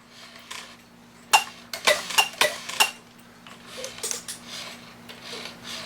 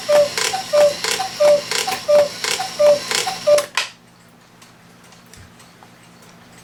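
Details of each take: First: 1969 E. Schmeckenbecher Black Forest cuckoo clock: uneven metallic clatters and scrapes in bursts as the cuckoo train labours, sounding terrible; the movement is binding, fighting against its springs. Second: 1969 E. Schmeckenbecher Black Forest cuckoo clock after movement oiling and bellows clamped: six evenly spaced cuckoo calls then quiet, striking cleanly, though the bird doesn't move up and down enough.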